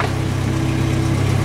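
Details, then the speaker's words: Jeep, jacked up in high gear after rear axle repair to fix a rumble, new exhaust: smooth, low, even drone with no rumble, whine or clunk; rear axle now runs quiet and healthy. "Runs quiet. Okay, so I must have got something right, because it's not making any noise at all."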